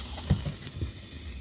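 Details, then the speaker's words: Ashley ACT500Pro active speaker with master, treble and low all turned down: low hum with scattered irregular pops and crackles, like roasting corn; suspected preamp IC or its power supply. "Ini sudah diturunkan semuanya, tapi suaranya seperti ini. Ada suara jagung bakar."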